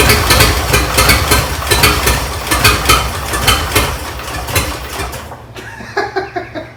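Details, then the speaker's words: 1926 Oakland revived after 75 years, running on a temporary 12-volt coil with no resistor. Uneven chuffing about four beats a second, loping and faltering before dying back; they guess about 4 of 6 cylinders fire. Rough, stumbling running. "That's the longest it's run, sort of. So how many cylinders do you think are actually? I would guess 4."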